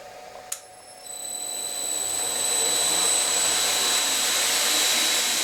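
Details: Homemade knife belt grinder, motor on VFD with potentiometer speed control, building up to constant low speed about 800 rpm: steady even motor hum with clean high whine, no knocks; normal running.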